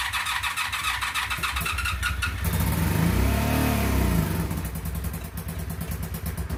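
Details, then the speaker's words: Rebuilt 2002 Honda Magna VF750C, first start in 8 months after the rebuild, new clutch cable and fresh oil; cranks and catches quickly, revs smoothly and drops back to a steady even idle; starts easily, healthy. "oh man I am so surprised on how easy that starts oh there's so much happiness"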